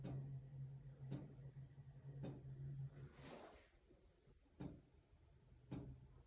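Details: Sharp, evenly spaced clicks about once a second over a low steady hum, keeping time with the flashing lights; the flashers sometimes click, and the source of the click is not pinned down.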